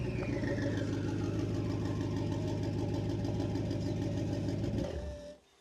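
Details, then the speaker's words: BMW N63 twin-turbo V8 with catalysts removed and new downpipes, lower pipe not yet joined to the exhaust: loud, raw, blatty drone climbing with revs and dropping off-throttle; open disconnected downpipe, to be connected. "ეხლა ქვევით ფაიფი რომ ჩადის არიყო არ არის შეერთებული და მაგიტომ აქვს ეხლა ესეთი დიდი ხმა იქ"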